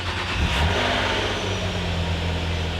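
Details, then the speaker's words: Water-damaged Nissan Maxima or Honda Accord after SRS module replacement and battery install: brief crank, then the engine catches at once and settles into a steady, even idle with no misses or knocks; normal start. "So it started right up."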